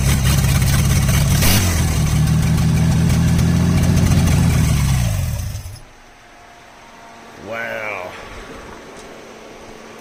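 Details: 1977 Ford F-250 Supercab shortbed running for the first time since 2021, electric choke not yet wired, with no exhaust fitted (open manifolds): a deep, loud, rapid open-header rumble at idle, then shutoff.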